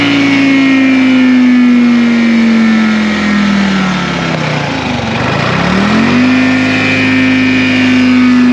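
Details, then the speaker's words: 1960 John Deere 440 backhoe, supercharged two-stroke Detroit 2-53 diesel revived after years sitting seized; 50–60 psi oil pressure. Loud steady two-stroke drone with supercharger whine, dipping then climbing back cleanly: normal running. "this thing sounds awesome you hear the supercharger this thing's flipping cool i'm excited to run this machine"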